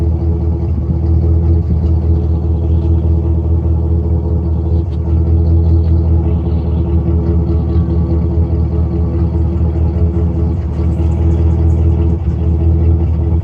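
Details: 1999 GMC Sierra 5.3 V8 with random misfire code, heard at the exhaust. Smoke test found no leaks; plugs, wires, fuel filter and EGR valve and tubes already new. Deep rumble with an uneven, skipping beat; misfire traced to one spark plug with microscopic cracks.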